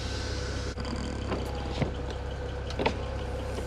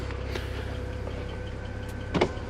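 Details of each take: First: 2008 BMW 335i (E90), 158,000 miles, original window seals: after the rubber seal is wiped with silicone lubricant, the window motor hums smoothly and evenly with no dragging or squeal. It was sticking before and now moves freely, normal operation. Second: 2008 BMW 335i (E90), 158,000 miles: a low steady window-motor drone with a brief strain and creak near the end as the glass top sticks on the rubber seal. This sticking broke the rear window regulator.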